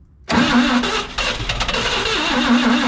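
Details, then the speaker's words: CMP engine cranking with no fuel filter: ragged uneven firings that never settle; seems short of fuel, heavy blow-by smoke from oil filter area, owner suspects rings; needs more battery, considering bump start. "That's a great sign. That's the most it's ever sputted. We need more battery."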